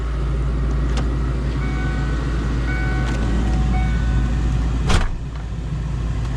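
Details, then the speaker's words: Kenne Bell supercharged Cobra Mustang after installing Ford Performance 47 lb injectors, new fuel pump and retune: steady low idle heard from the cabin with AC running, closed loop, about 20 inHg vacuum, no stumble or miss; normal idle. "if i give her a little rev everything sounds perfect"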